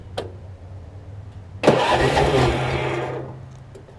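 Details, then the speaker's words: Troy-Bilt Pony riding mower, unidentified small engine (possibly Loncin), restart attempt after a solenoid-connection fix and good battery: brisk, even cranking burst of about 1.5 seconds, then it dies away; the starter spins strongly, and it seems to need choking again. "Starter's something else. Guess I gotta choke it again."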